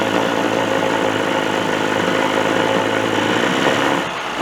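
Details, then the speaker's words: 1985 Johnson 20hp two-stroke outboard after a rebuild, running in water in neutral: a steady, even idle buzz, unbroken until a brief dip near the end. Runs like a top; normal idle. "Well, she runs, but I got a little bit of a problem. As you see, the motor's running like a top."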